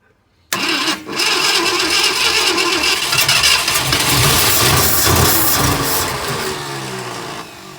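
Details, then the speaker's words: 1966 Ford F100, first start in 17 years, fuel poured into carburetor bowl: runs ragged with coughs and pops, spitting back through the carburetor. "There we go. Spit back at me. I got plenty in the bowl."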